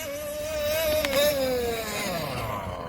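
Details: Losi 5B RC car with small two-stroke motor, new 56/22 gearing, after replacing plug/radio supply that gave only 6 volts and caused cutting out: buzzes at fairly steady pitch, sagging slightly as revs ease; runs without cutting out, normal running.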